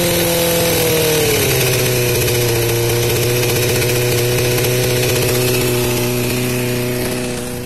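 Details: 2003 Suzuki GSX-R 600 auction bike, wiring harness repaired, first start: catches, note drops, then holds a firm even run with no knocks or misses; starts and runs cleanly.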